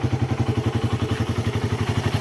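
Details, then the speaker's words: Suzuki Raider 150 carburetted single after fixing loss of compression from leaking intake valves (valve seals replaced), 28 mm round-slide carb: even, steady putter of about nine beats a second, no knocks or misses, no exhaust smoke; normal idle. "Stable na stable ang menor. Rev natin konti. Check natin. Tambutso. Walang usok."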